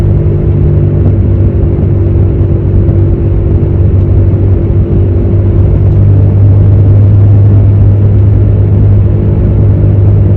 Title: #HummingSound #BadWheelHubBearing #shorts